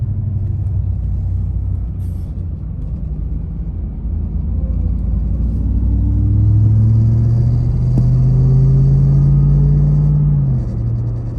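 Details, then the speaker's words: Ram TRX driving: a low droning vibrating whine climbs in pitch when taking off and fades when stopped; seems to come from the dash or possibly the engine bay; started after several hours of driving. "It doesn't make the noise whenever you're stopped. Sounds like it's whining whenever you're going to slow down."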